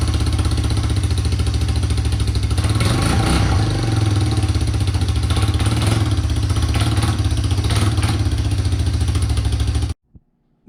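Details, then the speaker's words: Big Red 250ES single-cylinder after restoring spark, running strongly with loud raspy puffing at each firing stroke. The exhaust is not yet clamped or bolted in place, so it is leaking at the joint. "she's a little bit a little bit noisy like you can hear the air that you're escaping from her"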